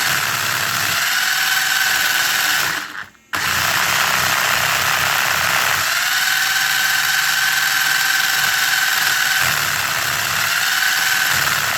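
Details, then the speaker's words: Traxxas 4Tec 2.0 RC car with Traxxas CV joints: smooth motor whine straight, then rough buzzing vibration at full steering lock as CV joints bind, not engineered for the steering angle; CV joint binding vibration. "at full steering you'll hear a very nasty vibration and it's because the CV joints are actually not engineered properly for the amount of steering angle"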